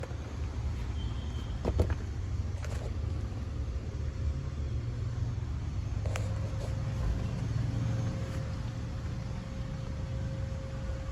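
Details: Maruti Suzuki Ertiga petrol engine idling with a lumpy uneven chug from cylinder 4 misfire, code P0304; ignition coil suspected faulty.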